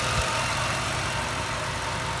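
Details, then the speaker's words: 1998 Jeep Wrangler TJ with swapped-in 5.3 LM7 V8 from a 2003 Tahoe, idling near the engine bay while untidy vacuum lines are shown; steady V8 burble with no misses or knocks over a constant fan hiss. Normal idle. "I'm driving it to work tomorrow so see how that goes but here it is running"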